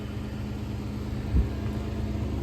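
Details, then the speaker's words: 1986 Ford Mustang GT 302 V8 (T5) after Mass Air (MAF) conversion, cold just after start before warm-up: deep, even burble just above 1000 rpm, no misses or stumbles; idling smooth and clean, base idle target ~750 rpm still to be reset. "But it's already idling super smooth and super clean. Super clean sounding."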